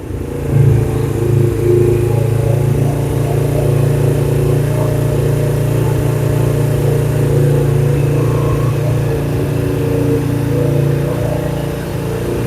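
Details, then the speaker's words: 2007 Suzuki GS500F twin, stored in the shop and revived with new parts, running with a steady, even low drone, smooth revs, no knocks or misses; sounds healthy. "Doesn't sound too bad."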